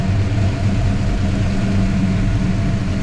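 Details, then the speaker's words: 1963 Ford Fairlane tribute V8 idling with new custom exhaust, first run with exhaust and new accessory drive brackets, spacer behind grooved pulley and 92-inch belt: even deep idle, slight exhaust popping, no knocks or misses; running right. "And it's running right. And it's running right. Good, that looks good. I'm happy with that."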